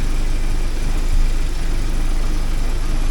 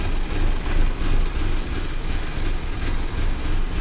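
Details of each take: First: 1979 Porsche 924 warming up after being started: low, steady idle rumble with no misses or surges, idle coming up as it reaches running temperature. Smooth warm-up idle. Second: 1979 Porsche 924 on a cold start with a low, uneven idle surging about three times a second; consistent with a lean mix from low fuel control pressure, as it starts fine when proper fuel pressure is applied.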